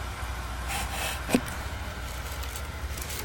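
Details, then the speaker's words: Antique Seth Thomas electric wall clock, after adjusting the motor poles, running about 24 hours without stopping and keeping accurate time: only a faint, steady low hum with one light click, much quieter than before; running normally. "It's dead accurate, and it's running a lot quieter now too. So, you can hear only a slight hum"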